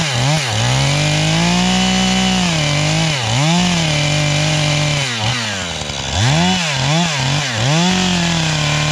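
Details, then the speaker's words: 440 chainsaw bucking oak firewood on a chilly morning revs hard in bursts, dipping in the cut and snapping back to a thin, screaming top end. The owner suspects a lean high-speed mixture needing carburetor tuning; it later died, possibly out of gas. "I got to tune it, though, because it's still That sounds too lean, right? It's just screaming too much. It's more than I think it should,"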